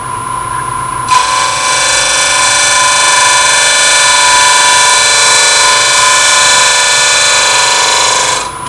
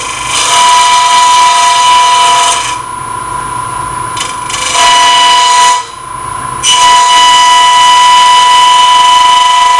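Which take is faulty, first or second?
second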